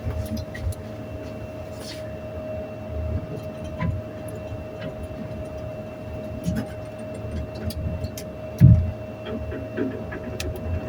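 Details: Elevator at Nathan Hale Gardens with a constant mid-pitched hum over low rumble and scattered bumps and knocks as the car travels; noisy while moving.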